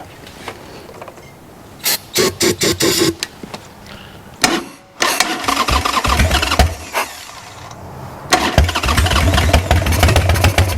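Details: Wrecked 1996 Harley-Davidson Sportster 1200, parked several years: several short cranking bursts that catch briefly and sputter without running; cranks but will not start.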